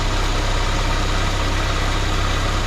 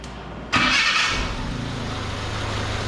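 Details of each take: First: 1979 Chevy LUV pickup, 1.8L four-cylinder, idling with vacuum advance disconnected and plugged: fast, slightly lumpy idle with steady low throb; timing found way too advanced, distributor loosened to move it toward middle mark. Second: 1979 Chevy LUV pickup, 1.8L four-cylinder, starting for a treatment down the carburetor: starter catch and quick flare, then steady even idle with no miss; sounds healthy.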